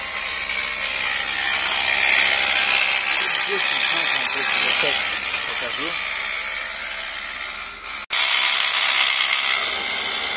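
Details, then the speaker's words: Mercedes W221 air suspension compressor: harsh high rattling chatter about four beats a second, very loud, audible inside the car, and the car won't rise; compressor suspected worn, scored or broken. "это короче причина в компрессор и машина не поднимается звук очень громкий звук"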